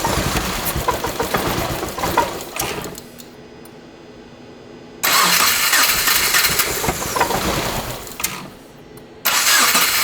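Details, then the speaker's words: 2.5L-swapped first-generation Subaru Crosstrek, hand-built engine, original injectors refitted and no longer leaking: bursts into ragged running, sags and recovers. Rough running; all cylinder heads feel warm, owner suspects fuel injectors. "This front one feels, yeah, they all kind of feel warm, but you saw it, like it was running pretty rough. But it honestly might be fuel injectors."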